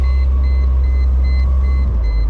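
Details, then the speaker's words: 1998 Mercedes-Benz SLK 230 (R170) driving with top down: steady high warning beeps about twice a second over road rumble, because the top was lowered manually as the automatic system was leaking. "don't mind that sound uh it will go away shortly that's just because I'm had to manually put the top down the the uh automatic you know system it was leaking"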